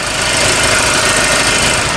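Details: Mercedes-Benz engine idling after VVT-related noise issue: steady, even idle with smooth hiss and no knocking, ticking or rattling.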